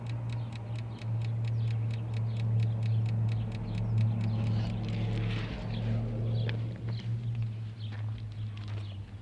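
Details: 2000 Infiniti i30 that won't start: with the engine off, a steady clicking of roughly four ticks a second over a low hum comes from the transmission area; the source is unknown.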